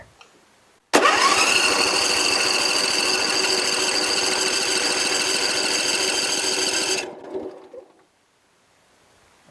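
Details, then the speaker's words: Briggs & Stratton 24 hp on a Husqvarna mower, low on power under load, pressurized oil system. Cranking compression test reads 150 psi after a valve adjustment. Strong, even starter churn with no weak stroke, so compression is normal. "150 lbs all right so it was a valve adjustment well somewhat"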